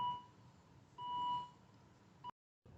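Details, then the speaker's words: Volvo S60 during brake pad and disc replacement with electric parking brake: two clear beeps and a chirp, a low battery voltage warning after about 10 minutes with the ignition on and the engine off. "so the voltage was too low there as we had the car with the ignition on for about 10 minutes"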